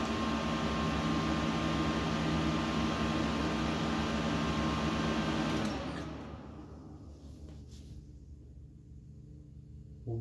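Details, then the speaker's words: Dusty Late 2005 Power Mac G5 (2.3GHz dual-core PowerPC): on waking from sleep the screen stays blank and the fans run at full speed with a loud steady rushing whir, then it is shut off and winds down. Cause unknown. "i just clicked the power button to wake it from sleep and all of a sudden the screen doesn't show up with anything and now the fans are running at full speed"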